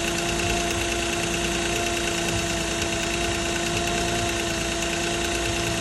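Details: 2006 Nissan Maxima at idle: a fast, uneven metallic clatter of about two per second over the running note; possible timing chain rattle.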